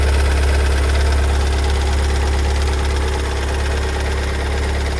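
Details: 2022 Kia Sorento MQ4 2.2 diesel, cold start after two weeks in dealer service: heavy low drone with a hard, fairly regular knock about four per second at cold idle; new behaviour, cause unknown.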